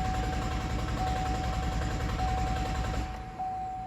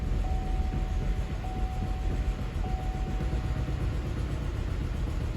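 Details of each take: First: 2012 GMC Acadia, codes P0689 and P1682 (ignition relay feedback circuit low voltage): starter cranks at a steady few beats a second but the engine never fires. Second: 2012 GMC Acadia that cranked without starting (ignition relay feedback circuit low voltage), after replacing a blown fuse: engine runs with an even, steady low rumble and no misses or knocks; normal start and idle.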